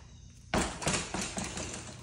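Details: GT Aggressor Pro mountain bike after installing a new one-piece MicroShift Acolyte 8-speed cassette replacing a rattling worn one: drop test gives a few dull thumps dying away cleanly with no loose metallic rattle; much quieter.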